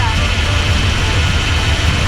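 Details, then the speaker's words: Small-block Chevy 350 with four-barrel carburetor in a C10, idle mixture screw set with a vacuum gauge. Once the screw is backed to the stable point, idle clears up into a steady, even rumble with no stumble or hunting. "turn it back to where it's stable a little bit more right there you hear it clear up you'll see how that needle is stop"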